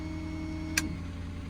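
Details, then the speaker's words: 2011 Ford F-550 with Stellar 7621, after switching PTO off: a single sharp click, then the diesel drops back to a steady, even low idle with no roughness; normal idle. "idle down again, and your PTO will be shut off."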